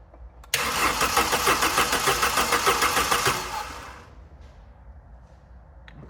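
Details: Neglected Vauxhall Calibra being revived, new distributor rotor arm fitted: starter spins the engine evenly, about three turns a second, for three seconds with HT plug leads off; it never fires, so no start.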